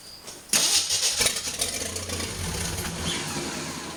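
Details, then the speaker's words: 1981 Jeep CJ8 Scrambler, AMC 258 inline-six, just converted to Ford TFI ignition with old gas in the tank: sharp starter crank, then it catches and settles into a ragged but self-sustaining idle; cranks and starts. "Well, there we go. Fixed it. It turns over. So will it run? Kind of."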